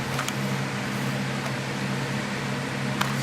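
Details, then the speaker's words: Opened external hard drive connected through a docking adapter, blue light on but not detected by the laptop, possibly wet or dropped: a low steady hum with a faint rough rumble and no clicking, cause unclear. "And I could hear it rumbling. So I'm not sure if it can read it or not."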